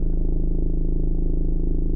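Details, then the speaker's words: 2015 Ford Mondeo MK5 estate at idle; deep steady drone heard in the cabin from the passenger side rear, no knocks or ticks; loose fuel pipe come off its bracket under the car vibrating. "so when the car is ticking over you can hear a humming sound on a cabin and he comes from the passenger side"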